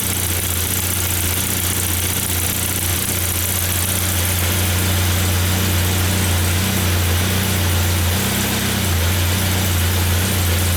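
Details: 1994 Saab 9000 non-turbo 5-speed, injectors rebuilt, vacuum leak plugged, new battery: idle drone dips and rises every few seconds, surging; data stream looks good, compression good, owner suspects throttle position sensor, cause unknown.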